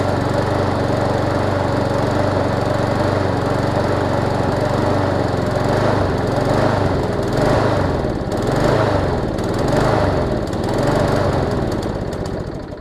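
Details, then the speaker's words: Used small-engine mower: runs steady, then speed rises and falls in slow waves about once a second, as if fuel-starved; surging, owner suspects swollen needle and seat or restricted fuel line. "That one almost sounds like it's got a swollen up needle and seat and where it's not allowing enough gas in there. Or I could have a restricted fuel line if I'm lucky."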